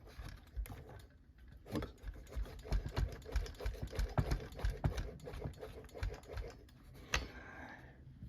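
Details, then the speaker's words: 044 chainsaw crankshaft rocked by hand: gritty, uneven clicking and rasping from main bearings contaminated with ground-up aluminum debris in the crankcase; case to be split and bearings replaced. "so the bearings have got some trash in them we are not going to try and flush that and make it go away"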